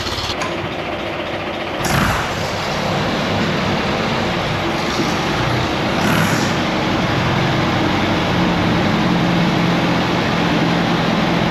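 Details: 1959 Allis-Chalmers D17 tractor after tune-up and new exhaust, running with a plow hooked up to test hydraulics: steady even engine beat, no knocks or misses while lifting; smooth and healthy, though the lift rises a bit slowly.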